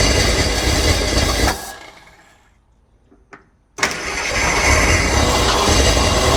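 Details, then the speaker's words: 1968 Ford Torino, suspected seized engine, cranking on brake cleaner without fuel hooked up: harsh rough cranking churn, pause, more cranking, never fires, smoke from exhaust; engine not locked up, starter suspected shot. "Well, I'm not sure what that sound is, but it doesn't sound good. Sounds like the starter might be shot. But, at least it's not locked up, or otherwise it wouldn't be cranking it over."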